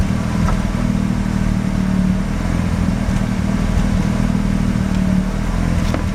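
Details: Mazda RX-7 rotary, failed annual inspection with very high CO (2.70): uneven idle with irregular lumpy stumbles and dropouts in low exhaust beat; misfire worst with slight throttle; no oil pressure shown, no leaks; ignition leads already measured; cause unknown.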